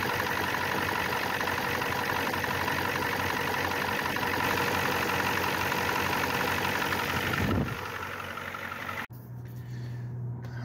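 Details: 1994 Ford F250 turbo IDI diesel idling while checked for injector fuel return line leaks: even steady clatter then sudden drop-off near end; idles normally, one return line behind the front injector leaking badly.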